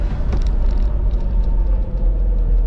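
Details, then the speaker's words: 2011 Toyota Hiace van driving on road: deep, steady droning rumble under road noise; brake pads still full, so noise traced to worn front wheel bearings needing replacement. "yeah the noise very [Music] badly and then check it up and see what wrong okay the breake pad still full but the noise is there so I say I can see the break pad really full in here that noise we have to uh get the font wheel bearings"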